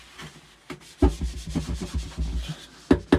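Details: Damaged Xv2 car audio subwoofer, removed and cone pushed by hand: dry scratchy scraping bursts instead of silent travel; voice coil deformed and rubbing in the gap.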